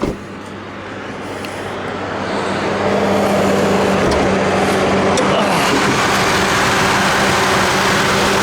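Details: 2006 Chevrolet Trailblazer petrol engine after a repair: a steady, even hum that swells slightly then holds, sounding healthy.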